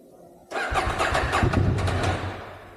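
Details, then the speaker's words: 2020 KTM 790 Adventure R that is hard to start when cool, last serviced in 2022 and under 95 miles since its last MOT: it catches with a few ragged pulses, then fades out within about two seconds. Starts then stalls; owner suspects bad fuel. "So that's what it does. It starts and cuts out. Could do that a few times. Starts and cuts out."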